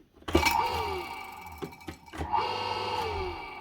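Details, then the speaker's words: Show Fou submersible dirty-water pump, bench-tested before replacing its broken power cable. A sharp switch-on, then a low hum and faint steady whine as the impeller spins up freely, with a few handling knocks; normal running. "so this should run nice and quiet but you should hear the actual impeller starting"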